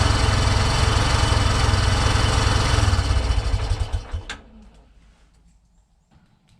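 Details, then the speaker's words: 1987 Big Bear 350 4x4 ATV after one-way bearing replacement and rebuild: single thumps at about four a second, then stumbles and dies as the choke comes off; owner suspects the carb pilot circuit, and compression reads only 65–70 psi. "dies right out coming off joke so I might still have something in the carb on the pilot circuit"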